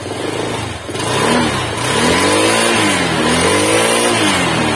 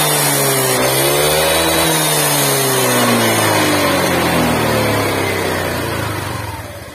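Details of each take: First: Honda Vario 125 scooter after engine overhaul following oil neglect: double-starting only gave a "lep-lep" sputter before repair; now smooth, even revs climbing and falling cleanly with no knocks or rattles, normal running. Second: Honda Vario 125 scooter that was run with no oil, started after refilling with used oil: revving with a coarse, uneven roughness as revs rise and fall. The piston had seized, and it smokes heavily and worsens when hot.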